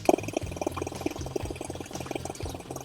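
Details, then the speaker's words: Audi C7 A6L 2.8 engine, cold start: fast light ticking over the idle hum from the intake camshaft side; a hydraulic lifter had lost pressure and could be pressed down by hand. "明显，这个异响的声音呢是进气凸轮轴这边发出来的，估计是顶筒泄压了。"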